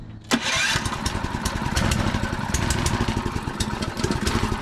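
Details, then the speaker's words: Predator 224cc engine on Mega Moto minibike with added electric starter kit powered by 18V Ryobi battery, choke on: brief starter whirr, catches quickly and settles into steady, even quick idle; normal start and idle. "look at that look at that it's running i like it i like it"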